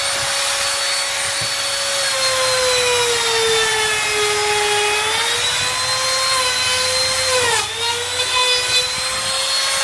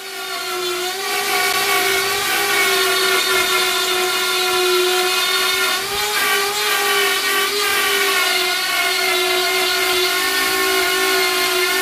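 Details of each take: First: Grizzly T27139 quarter-inch trim router, about 4 months old and previously cutting out, with a brand new bit at full speed in scrap hardwood: high steady whine dips in pitch as the bit bites and recovers evenly; normal cutting. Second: Grizzly T27139 laminate trim router, about four months old, cutting a circle: steady high whine, then it suddenly loses power and spins down in half a second; motor speed had been surging, suspected short; cuts out under load.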